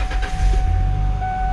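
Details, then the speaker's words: 2003 Ford E250 Contractor cargo van, 85,634 km, 20 years old: starts right up, all warning lights come on then go off, settling into a low, even idle rumble under a steady chime with no roughness. "Starts right up. All the warning lights come on. All the warning lights go off."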